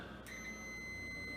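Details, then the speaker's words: AC condensate float switch tested with meter on ohms after cleaning; steady high continuity beep shows closed loop in working condition, opens if float rises to shut off rooftop unit. "you'll hear it beep. So right now, when it's in the working condition, it's going to be a closed loop."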